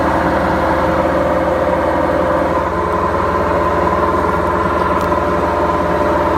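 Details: BEKO washing machine, 7 years 8 months old, with bad bearings: a steady, heavy rumbling roar with a fast, even throb through the spin, typical of worn drum bearings.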